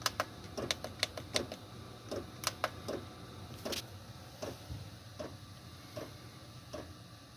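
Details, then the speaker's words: Chinese 8 kW diesel heater in 1986 Fleetwood Prowler 23P trailer, heard from inside: quiet sharp ticks about twice a second over soft fan hum; normal fuel dosing pump ticking. "some people might say that the fan is a little or the fuel pump is a little too loud yeah I still feel heat fan air coming through there but in all honesty sitting here on the couch it's really not that loud"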